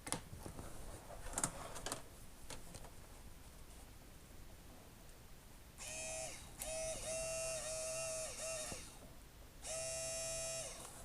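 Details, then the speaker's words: Rule bilge pump newly wired into a jet ski, fed from battery positive through a 4 A fuse and switched on: after clicks, a small motor starts with a steady mid-pitched whine, drops out briefly, then runs evenly. Working normally. "on entend la pompe démarrer. Bon, nickel."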